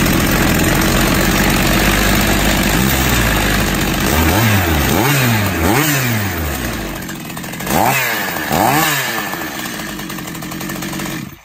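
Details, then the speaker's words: Stihl MS 270 chainsaw after a new cylinder and piston kit, bearings, seals and needle cage, running in on rich oil mix; crisp two-stroke buzz revving up and dropping back cleanly with even throttle response; probably no adjustment needed yet. "Everything sounds good, I think it doesn't need any adjustment(we'll see)."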